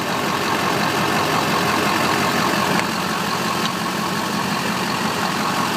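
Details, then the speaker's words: 2001 HD2500 Duramax turbo diesel, 181,000 miles, new starter and fuel filter mount: steady, even idle clatter with no knocks or misses, good oil pressure; healthy normal idle. "and listen to that engine he's a good runner guys"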